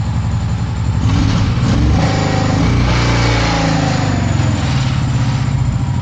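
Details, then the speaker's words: Long-sitting Honda PC800 Pacific Coast after carburetor cleaning, fresh fuel and a new fuel filter, plugs unchecked; even, steady V-twin beat with no misses or surging, a rich low rumble, running better than before; normal running. "Alright guys, I don't know if you can hear me, but got the bike running under its own power. I put fuel in the tank, put a fuel filter on it, and have it running. It's running pretty good."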